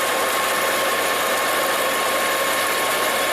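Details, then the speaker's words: Volvo XC90 with a PCV vacuum leak; a smooth, settled idle with no stumble, surge or ticking; a new PCV valve diaphragm would be the fix. "It's running pretty smoothly, which is good."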